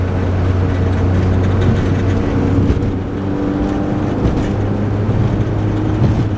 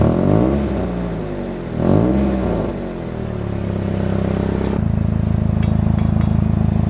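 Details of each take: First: Lowered Nissan 240SX daily driver with loud, very low aftermarket exhaust missing a bolt; heavy steady low boom under the engine note while cruising, and on acceleration the exhaust hits something underneath; exhaust drone. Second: Nissan 240SX, lowered, after a sponge was added to stop the low exhaust clanking; engine revs then settles to a steady idle with no rattle or buzz and less drone; exhaust without rattle.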